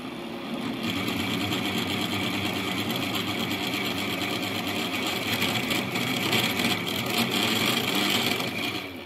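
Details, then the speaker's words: A new-build apartment's cold-water meter, with the coarse filter sealed by the developer, while the boiler fills: a loud, continuous whirring hiss with a rapid buzz under flow. The meter is unusually noisy; the owner expects it to fail soon, and the cause is unconfirmed. "да все соседи на уши поднимет прикиньте да вот такой шум создает этот счетчик когда вода через него проходит просто жесть"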